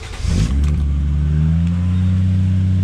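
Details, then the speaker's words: Car started after sensor work: cranks, catches within half a second and settles to a steady, even hum. The idle is slightly high, likely because the AC is on, and the belt stayed on. "The car's starting up after we've touched it, definitely a good sign."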